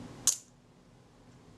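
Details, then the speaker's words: Kodak Retina shutter after repair, fired at 1/15 s: a single crisp snap with open and close nearly merged, sounding too quick; a shutter speed tester later confirmed it a full stop fast; shutter speed too fast. "all right i'll check those i think that's slightly fast but i want to test that"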